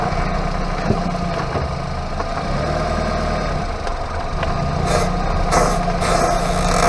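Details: Hyundai Avante MD while driving: a low, steady growling drone from the underbody, a worn wheel hub bearing.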